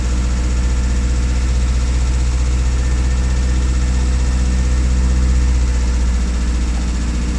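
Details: Classic Rover Mini with points ignition, started after sitting three months and failing to start: a low, steady idle with an even beat and no misses or knocks. Runs smoothly, normal idle.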